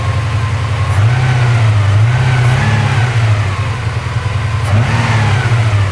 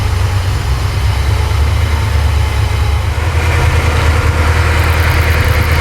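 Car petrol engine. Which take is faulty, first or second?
second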